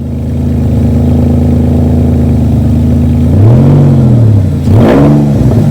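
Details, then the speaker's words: Porsche 911 996, started on a tripod and then driven: deep, booming engine note that swells hard with revs and drops back with pops and crackles, as if there is almost no exhaust; the MOT advisory was right, a whistling air leak is also suspected. "Okay, so the MT advisory was not wrong. That is a loud exhaust."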